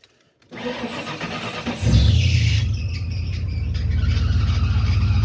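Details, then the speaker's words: 1993 Ford Bronco, first start after fuel pump replacement: engine catches, loud shrill squeal sliding down in pitch into rough idle; belt slipping on a seized bottom accessory pulley, believed to be the small pump. "I was looking at this belt here and down here, that bottom pulley, I believe, is the small pump. It's froze up. That's why that belt was making such a loud noise."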